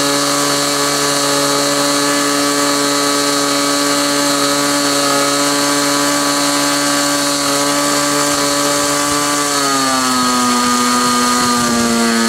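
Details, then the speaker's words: Glow engine on SIG Kadet LT-40 during break-in, needle at about one and a third turns: steady high-pitched scream, then smooth drop near ten seconds; clean, even running, possibly a little lean at idle. "what you're going to see next is the remainder of that video after it was running and running smoothly I turned it back on and uh let it run for a while"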